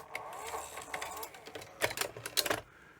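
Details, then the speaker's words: Sony SL700ME multi-format Betamax recorder (711B3 deck) on 220 V: short motor whirs, clicks and clunks as the mechanism tries to lace the tape but hunts instead of finishing, as if it detects a broken cassette; logic fault suspected. "you can see it does try and start to lace [Music] but just doesn't um you can hear like a hunt and that to me doesn't sound quite right that it's sort of doing this"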